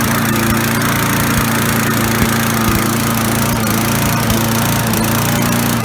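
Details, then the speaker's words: Briggs & Stratton 3.5 hp four-stroke push mower running: speed surges up and down from too much fuel, with black exhaust smoke, as if choke on; caused by failed carburetor fuel diaphragm, fixed by replacing it (part 795083). "all right so there you go as you can hear it's running up its running down or what you essentially what we'll call the the description it's it's a it's essentially surging and what it is it's surging because it's getting too much gas and that is the reason why there's black smoke coming out of the exhaust"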